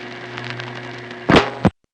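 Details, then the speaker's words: 1976-1981 crossbar No. 1 office register sender, subtler than others: steady low hum then two short soft relay clacks, tones inaudible; normal, each sender with its own signature. "for example here's one that is more subtle than the last one we heard doesn't make as much clanging"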